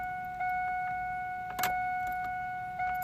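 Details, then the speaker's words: 1993–2002 fourth-generation Camaro after fuel filter change, key on before starting to repressurize the fuel system: steady mid-pitched electric hum from the rear fuel pump with light key rattle until it stops. Normal fuel pump priming. "Turn the key, wait for the buzzing of the fuel pump to stop. Make sure everything is properly pressurized."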